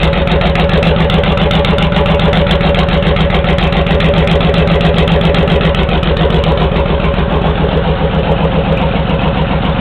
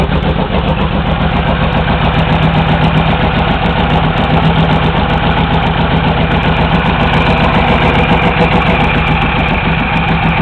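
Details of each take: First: Honda VTX1800 V-twin with pair valve removed, Hardkrome 3-inch long pipes: deep, loping idle, steady lumpy beat around three to four pulses a second, even and healthy; idle improved, less decel popping. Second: Honda VTX1800 V-twin idling with long 3-inch exhausts, pair valve removed and plugged; deep uneven loping beat about four pulses a second, with less exhaust popping.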